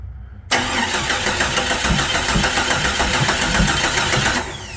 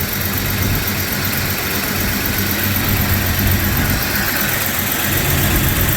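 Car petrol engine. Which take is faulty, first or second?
first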